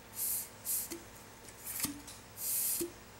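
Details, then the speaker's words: Honda CB360 with spark plug out, left cylinder turned by hand with a wrench during valve-clearance adjustment: short hissing air puffs from the plug hole confirming the compression stroke; normal compression puff. "so we're on the compression stroke right now that's good"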